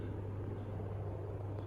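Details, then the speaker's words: Casablanca Panama 5 Inteli-touch 50-inch ceiling fan on a hang true clip, needing no bearing work. Steady, even low hum with no ticking, wobble or grinding; running smooth and well balanced. "You know, I didn't have to do bearings on this or anything, you know, it runs really nicely."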